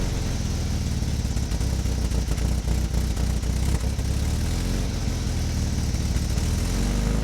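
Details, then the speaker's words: 1977 MGB roadster four-cylinder, barn find restarted after 31 years idle and a loose wire fixed: loud, steady low run with an even beat and no knocks or misses; idling smoothly and healthy. "eventually i got the car running after a couple cranks i got it going and gotta run in i had to track down loose wire first"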